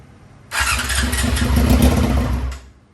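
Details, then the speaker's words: 2001 Yamaha YZF R6 carbureted, first start attempt in three years, choke on: starter churns about two seconds, ragged, never catches; cause was side air box pipes hooked up where previous owner deleted vacuum lines. Crank no start. "So when I put the air box back in, I hooked up like the side, I guess, PVC pipes here, and that's what made it not start."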